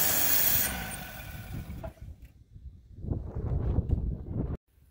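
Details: 1960 Rambler American 196 flathead six, sitting since about 1983: catches on gas poured into the carburettor, putters unevenly a couple of seconds, then dies. The fuel pump delivers no fuel; its actuator appears not to be moving the diaphragm.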